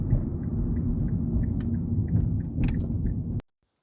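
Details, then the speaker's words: 2006 Mazda 3 2.0L before repair, heard from outside while tapping the accelerator in reverse and drive. A low drone carries light irregular rattles and pops, with loose heat shields already ruled out; suspected worn engine mounts. "You can hear the rattling and the popping noises as you're just driving normally. I have already confirmed that that there's no loose heat shields or anything like that."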